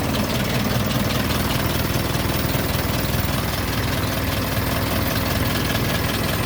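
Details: Isuzu NPR diesel: a steady, even idle with a deep, smooth thrum and no misses or knocks; the engine is running healthy.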